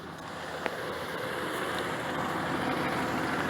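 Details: 2003 Dodge Dakota 4.7 V8 just after an oil change with 6 quarts, started to check for leaks: quiet, even idle with a soft steady pulse and no ticks or knocks; sounds smooth and healthy.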